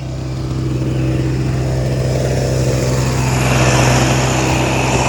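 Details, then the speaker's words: Repaired small two-stroke Chinese generator (1000 W peak, 850 W rated) after voltage adjustment, slightly over-volted, sticky linkage: steady buzzing drone, firm low hum rising slightly in pitch then holding even; running properly. "now it's got a real narrow window of adjustment and I had to over volt it a little bit to get it to power anything"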